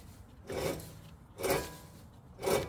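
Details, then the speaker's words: 2010-2015 Toyota Prius front wheel hub, pulled from the knuckle with the axle out and turned by hand: three gritty rasping sweeps about a second apart, a rough, dry, badly worn wheel bearing. "how bad this wheel bearing is."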